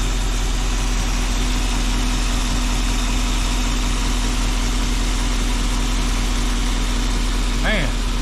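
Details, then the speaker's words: 1984 Jeep V8 idling after wiring repair and a long parked spell: steady, even, well-muffled low burble with no misses or ticking. It is so quiet it hardly sounds like a V8, apparently with a catalytic converter; owner plans a muffler delete. Normal idle. "this thing is real quiet. I want people to know this thing's got a V8 in it."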